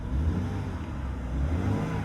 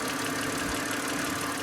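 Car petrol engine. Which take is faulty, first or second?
second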